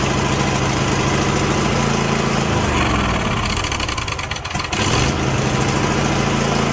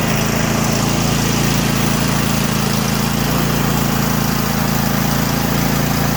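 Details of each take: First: Craftsman T8200 Pro mower, 2016, 24 hp Kohler Elite KT735-3068, 46 hours, not run in a while: starts on carb cleaner sprayed into the intake, runs rough and stumbles; carburetor not feeding fuel. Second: Craftsman T8200 Pro riding mower, 2016, 46 hours, 24 hp Kohler Elite KT735-3068, after carburetor repair and flushed fuel lines: steady, even single-cylinder drone with no surging or misses; normal running.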